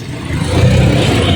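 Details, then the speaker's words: Honda Dio scooter idling smoothly on the single stand after repair: the rattle caused by a loosened spring rubbing at the starter side is gone, leaving a steady low drone with no grinding; normal idle. "Sound हट गया है इसी तरह भी आप भी खोल के देख के आप भी बना सकते हैं"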